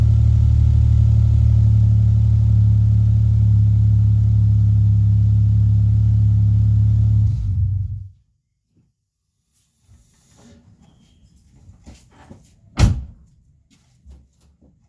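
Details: Ford Mondeo after engine bay fusebox harness rebuild, previously not cranking: steady, even low idle with no misfires or knocks for several seconds, then switched off; engine runs normally.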